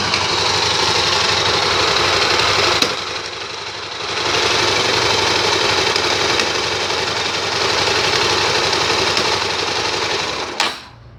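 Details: Honda Tornado 250 single-cylinder idling in neutral: quick metallic knock about four per second, harsh over the exhaust. Owner first suspected the gearbox, since the knock was strong in fourth at 30 km/h but absent in third; sometimes sticks pulling away.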